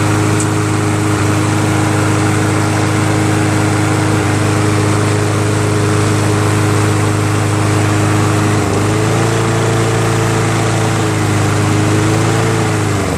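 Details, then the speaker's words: Toro SR4 Super Recycler 20381 mower with a Chinese clone engine, carburetor cleaned: a steady, even run with a brief dip and recovery near the end; it is hard to restart after shutdown; cause unconfirmed. "well I just moved along with it runs pretty good most very well and then I shut it off and I can't start it again so I'm thinking I think it needs a he needs to a valve adjustment"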